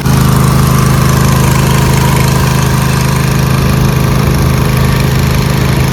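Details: Rebuilt Craftsman DLT2000 tractor after a carburetor fuel leak fire, with the old carburetor solenoid fitted: steady, even single-cylinder thrum at constant speed with no misses or knocks and no leaks; running normally.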